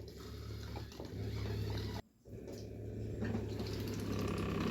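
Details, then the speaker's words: Aquaguard water filter pump motor powered at 24 V from a bench supply with its adapter disconnected; steady low hum with water flowing at input and output, a brief cut near two seconds, then even running. The pump is healthy, and the 24 V adapter is suspected burnt out. "Motor run ಆಗ್ತಾಯಿದೆ. ಇಲ್ಲಿ ನೋಡಿ, ನೀರು ಬರ್ತಾಯಿದೆ ನೋಡಿ, ಇದು output ನೀರು."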